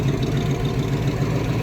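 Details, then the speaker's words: Engine starting on a recharged battery after sitting in a garage: steady low rumble with an even, smooth pulse and no knocks or misses; sounds good, though the engine leaks oil. "She's alive. Sounds good. Shame it leaks oil, but let's get her into the hoist."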